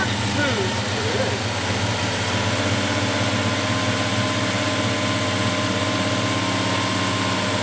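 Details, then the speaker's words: 1973 Plymouth Scamp at its first start in almost 20 years (last run 2004), with borrowed parts: fired right up with oil pressure and settled into a smooth, even idle with no misses or knocks. "it's so smooth right it really is oh man it's got a good l"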